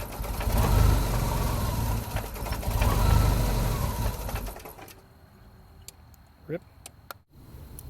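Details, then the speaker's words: 1988 Jeep Comanche, Renix 2.5L I4, AX-4 4-speed manual, 2WD, in closed loop: idle swells and sags every couple of seconds, hunting, then the engine cuts out; ECU swinging from lean to too rich, O2 sensor seemingly working. Cause unclear. "oh now it's getting a little funky so now it's like trying to Rich it too much before it like wasn't before it was trying to lean it out"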